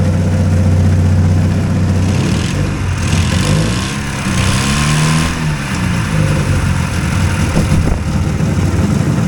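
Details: Hovercraft two-cylinder engine now firing on both cylinders: an even, steady drone at a deliberately high idle because it constantly drives the fan load, with no misfire or lope.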